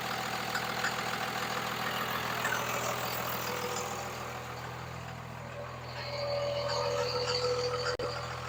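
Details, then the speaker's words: 2002 Ram 2500 Cummins 24-valve, 6-speed manual, about 273,140 miles, newly fitted 125 hp injectors and aluminum radiator: a steady diesel idle with a regular knock about three times a second. The knock is new since yesterday, cause unclear. "Sounds like it's got a little bit of a knock noise into it now for some reason. It wasn't doing that yesterday."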